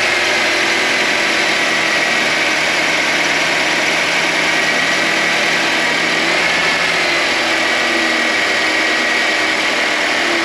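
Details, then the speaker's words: 2022 Nissan Sentra SV, cold start with heat or defroster on: engine idling with a steady mid-pitched hum over it after the compressor engages; owner suspects the A/C compressor, not confirmed. "this seems to be more of a humming noise and it's only when the engine is cold so when I first start the car and put on the climate control for the Heat or the defroster I can hear I can hear the engagement but it does make a little bit of a humming noise"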